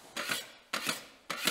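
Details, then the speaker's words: Drywall joint knife passing over a screw: three rasping strokes about half a second apart, each with a sharp click midway; a "clicker" screw not driven flush, head sitting proud, which can damage tools. "can hear that it's clicking what happens with these is they're set too far out they weren't screwed all the way in"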